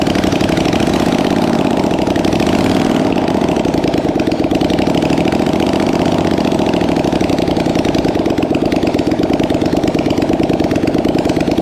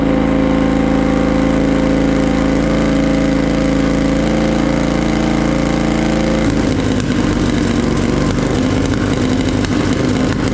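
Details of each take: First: Polaris Sportsman 850 XP quad, sat for years on a cattle station, first start after checking spark and fuel pump: fast, even idle beat holding steady with no misses or knocks; idling properly. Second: Polaris Sportsman 850 XP quad, hard-worked bull catcher sat for a couple of years, parked up for pumping oil at the engine breather; first start on jump pack: uneven stumbling idle turning ragged and irregular, shooting flames and misfiring; owner suspects old fuel.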